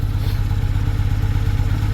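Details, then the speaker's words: Carbureted BMW motorcycle that nearly burnt down, cold and warming up after brand new fuel lines were fitted: steady, even low putter at idle with regular firing pulses and no knocks or misses; healthy, no fuel leaks. "Let it warm up. No, these carburetors like to warm up."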